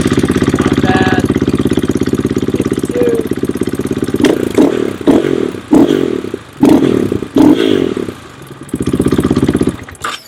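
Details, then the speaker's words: KTM/Husqvarna single-cylinder dual-sport after replacing in-tank fuel pump and filter to fix low fuel pressure and power loss: steady even beat, clean throttle blips picking up and dropping back, sounds stronger; normal running. "sounds quite a bit stronger"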